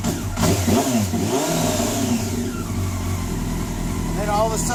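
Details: Honda CBR954RR, freshly reassembled, starting hard hot or cold. It needs throttle to start and stay running, and revs surge unevenly until it suddenly smooths out and idles fine. The cause is not yet known.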